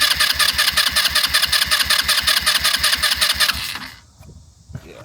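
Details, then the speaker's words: 150cc GY6 Chinese SunL quad after a new wiring harness: the starter cranks in an even rhythm, two to three turns a second, then stops without firing; owner suspects no spark. "It's turning over. Um, let's see if it will start."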